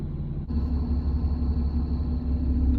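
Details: 2017 Ram 2500 6.7 diesel, about 84,000 miles, before repair: a faint, steady high whine over the idle rumble, heard inside by the brake pedal, from a failing power-steering pressure hose between the hydroboost and the pump.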